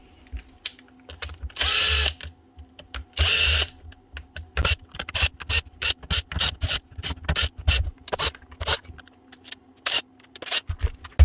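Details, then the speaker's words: Makita DHR242 18V cordless SDS drill: short stuttering motor bursts, starting and stopping several times a second, chuck jerking back and forth; stator or controller suspected, found a loose controller lead connection. "the Chucks actually going back and forth so the motors does know what's going on here so again could be a Stater or could be a controller"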